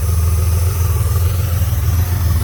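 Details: Honda Goldwing GL1500 idling smoothly with a steady, deep, even rumble after reconnecting a disconnected vacuum hose that caused a vacuum leak, noise and backfiring; carbs synced.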